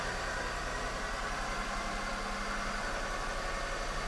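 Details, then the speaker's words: 2002 Toyota Solara with about 300K miles, which overheated and died at a stoplight, after repair and with the fuse box back in place: steady, even idle with a smooth low hum and no knocks or misses. It starts and runs perfect; normal idle. "All right, let's run this engine. starts up, runs perfect."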